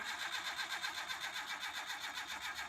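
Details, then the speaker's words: Old petrol Mitsubishi L300, sat about two years, cranked right after the carburettor was fitted: fast even cranking, about 7–8 pulses a second, never fires. It flooded, with lots of fuel in the manifold. The fuel filter had not been cleaned. "Ternyata sama aja, Lur. Ternyata malah enggak urip-urip dan terjadi banjir atau ngelotor, Lur. Ya, tandanya enggak hidup-hidup."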